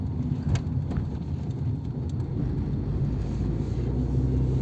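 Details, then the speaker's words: 1997 Nissan Altima idling at operating temperature after a rebuilt MAF sensor was fitted without its O-ring to cure random lean trims pegged at -25%, a fault worse at idle. Steady low rumble at even pitch with no dips; normal smooth idle. "so far it feels like it might be fixed though"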